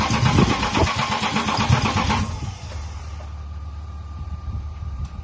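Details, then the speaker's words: 1998 BMW E36 328i with freshly installed M52B28 engine after head gasket replacement, fuel pump relay removed so it only cranks to prime oil; even starter cranking about two and a half turns per second, never catching. Normal cranking. "fuel relay is out fuel pump relay so it won't start it would only crank when it cranks it gets the oil pumping through everything so everything is lubricated before it starts going crazy we don't want to go dry"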